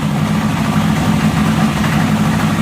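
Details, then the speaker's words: Honda CB750 barn find running again after about 10 years, inside a garage, after an accelerator pump fix: an uneven, lumpy idle with stumbles and pops; the owner expects that running it longer and adjusting the carburetors will fix it. "They're popping a little bit and stuff. Yeah, I got a little bit of work to do to it, as you can tell, but"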